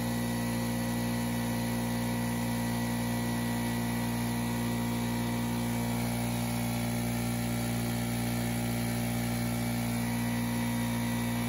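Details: Craftsman 919.165200 5hp oil-free air compressor after capacitor replacement and correcting 220V cord wiring: steady motor hum with low pump drone, no knocks or rattles; running normally and building pressure.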